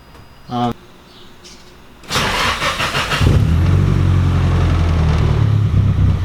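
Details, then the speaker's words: Nissan 240SX just after fitting a bigger Deatschwerks DW300 340 lph fuel pump, started to check for leaks: short crank, catches within a second, then settles into a steady, even low idle with no misses or knocks. Fuel pressure is likely higher, so the adjustable regulator is reset. "And just like that, Stella runs again. After installing this bigger fuel pump, I knew my fuel pressure was likely to be a bit higher."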